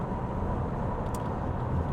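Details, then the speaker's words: Tesla Model S Plaid cruising on the road, heard from the driver's seat: steady loud rushing roar with deep low rumble; excessive wind noise, driver unsure whether from the front window triangle or higher up. "First of all, the wind noise here is really horrible, so Tesla, you need to fix that on this car. I don't know whether it's the triangle or it sounds like more up here."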